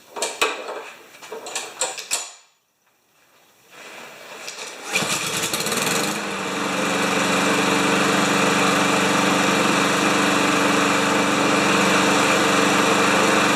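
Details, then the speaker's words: Lawn Boy mower with 160 cc engine and automatic choke, running after a shot of carb cleaner into the carburetor, oil full, refueled: catches after handling and settles into a steady, even buzz with no misses or surging; healthy normal running. "oh it's nice when they come in and they don't need a bunch of work eh"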